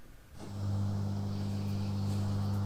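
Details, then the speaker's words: Grundig Trento radiogram valve radio: steady low mains hum, a deep buzz with a higher tone above, appearing once warmed up with volume turned down; not bad yet but annoying. "I'll turn the volume down and when it warms up, it develops a mains hum."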